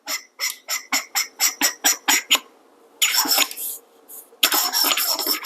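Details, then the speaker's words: Kingrinder K4 manual hand coffee grinder: short, shrill squeaks as the threaded metal cap is twisted open and closed, suspected from rougher machined threads rubbing. "i think the mailride has a slightly better finishing because when i open this i do not hear the screeching sound when i open and close the grinder however when i try to uh open the grinder you can keep giving you the sound"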